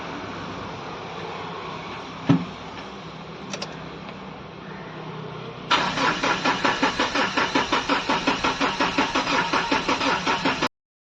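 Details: Mahindra Bolero diesel after water found in fuel, dirty diesel filter, line and tank cleaned: steady starter cranking at about three compression beats a second, never catching; no-start from low fuel rail pressure.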